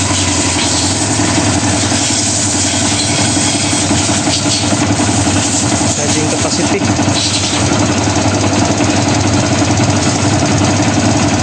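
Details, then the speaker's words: Kawasaki Barako, sat unused for months, would not start; after battery charge, carburetor cleaning and idle lowered, warmed up, charging 13.2 V: single-cylinder ticks over at a steady even idle, slightly rough rapid beat, no knocking; normal idle. "Kanina hindi umaandar. Ayaw umandar ngayon okay naandar na at may mil na rin mga idol."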